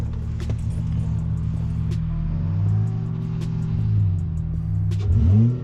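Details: 2003 Acura TL Type S V6 petrol after coil pack replacement to fix a bad misfire, idling with a steady even low rumble and no stumble, partly under music; normal idle.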